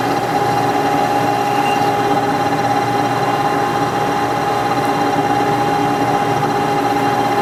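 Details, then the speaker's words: Lathe boring cut on a machinist vise back cap gives a steady high squeal. Boring tool chatter is blamed on too large a nose radius and poor side relief; the tool is to be touched up. "oh hear that nice squeal right yeah I don't like this the relief on this tool I think I'm going to touch this tool up a little bit so normally you you don't want a large radius on a boring tool for that very reason so it doesn't squeal"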